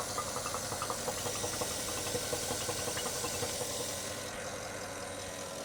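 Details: Porsche Cayenne idling after belt tensioner replacement and retightening loose water pump pulley bolts: even idle with only light regular ticking in background and no squeal; auxiliary belt screech fixed, healthy idle.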